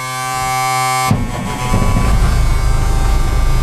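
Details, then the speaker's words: M35A2 deuce diesel truck, cold start in snowy weather after sitting a few weeks, after quick taps to check it isn't hydrolocked: a steady whirring crank, then it catches into a deep, uneven rumble that settles. It starts and runs fine. "There you go. She's off and running."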